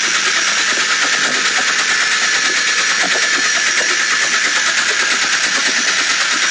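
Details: Late-model Porsche 996 911 Carrera 4, noise present about two months and 2,000 km; it stops when lifting off the throttle while driving, so owner suspected the fuel pump. Fast, steady metallic chatter with a hissy whir over the engine; internal engine noise, engine replaced.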